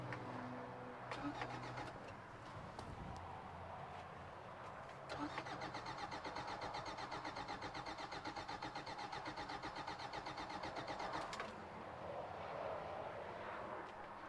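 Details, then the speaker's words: 1993 Toyota Pickup, parked for suspected timing chain or head gasket issue, wrong battery with poor connections: starter spins about four beats a second with no catch and no fuel pump priming; cranks but won't start, owner suspects wiring fault cutting fuel pump power. "I'm going to guess there's a wiring issue somewhere not exactly sure where but considering that it was trying to start as soon as I hooked power up to the fuel pump and now it's not I think that we're not getting power"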